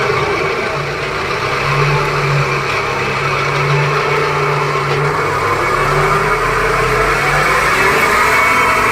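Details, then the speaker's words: Maruti Suzuki Ciaz, wheel raised and spun with engine running; steady rumbling drone, louder than left side which was quiet; worn wheel bearing needing replacement. "अभी आप यह sound सुन रहे हो ऐसा ही sound आपने उस side का उस ल को भी हमने घुमाया था लेफ्ट साइड के उसमें ऐसा साउंड नहीं था इसमें हथ से ज्यादा साउंड है में हमें बेरिंग चेंज करना पड़ेगा"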